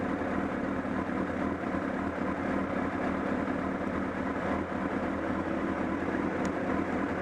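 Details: Honda CBR1000RR at steady idle at Sportsland Yamanashi: an uneven, loose flapping chuff from near the engine that grew stronger, along with a loss of torque. Cause not yet found.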